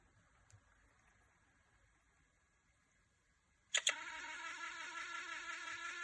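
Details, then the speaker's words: PSP UMD disc drive: near silence, two sharp clicks, then a persistent harsh high-pitched screech. "so my PSP started to make strange noises so let's hear it out"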